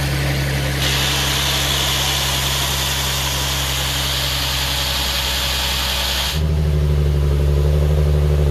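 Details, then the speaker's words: Nissan 370Z during rebuild, running after fitting a new battery; strong steady engine note with a bright rush on top, then a smooth, even, lower-pitched idle, normal idle and revving. "right she runs and she runs beautifully"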